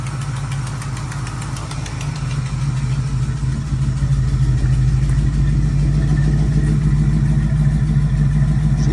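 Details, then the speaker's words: 1979 Camaro small-block V8, first running after sitting: rough idle with a sharp, regular puffing tick about three a second under the rumble; header leak, exact location unknown. "There we go. Still got a header leak. Not exactly sure where somewhere down in there,"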